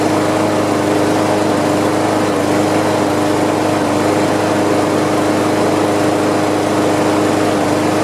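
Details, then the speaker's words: Free Craftsman push mower that had sat outside a long time, after carb cleaning, oil change and new RJ1 spark plug: single-cylinder engine runs steady and even with a slow idle beat and no misses; owner thinks it idles kind of low. "well let's see how it sounds i think it's idling kind of low if you ask"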